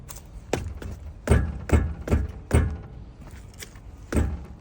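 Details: Geely Monjaro suspension knock: irregular dull low clunks, about two a second, in uneven bursts; exact part not identified.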